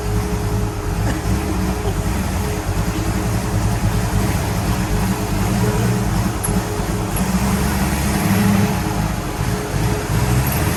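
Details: 1966 Pontiac GTO convertible V8 after repair of white smoke from water getting into a cylinder: strong, even running with steady low rumble, no misses or chuffing; sounds good, slight blue smoke put down to exhaust contamination, not oil burning.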